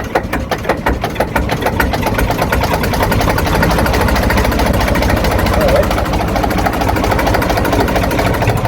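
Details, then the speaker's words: Lister JS3 three-cylinder diesel narrowboat engine, around 40–42 hp, electric start: starter catches, then a steady, even chug settles into a smooth idle with no knocks; healthy normal idle. "Beautiful that sounds. And what sort of horsepower does this throw out? I think it's around about 40."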